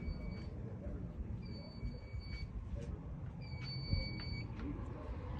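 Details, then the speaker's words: Alarm panel during a no-power system test with the UPS unplugged and AC power cut to the panel: a high, steady beep of about a second repeats every two seconds, the panel's AC power-loss trouble signal. "there you can probably hear the panel beeping from over here even"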